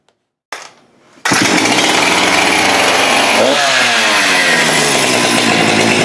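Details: Husqvarna 394 chainsaw converted to 395 with 58mm big-bore pop-up cylinder, on original OEM carb leaned to limit: fires and screams to full throttle but holds a flat burbling note near top, too rich, no-load revs only 10,500–10,900; aftermarket carb later reached 12,400.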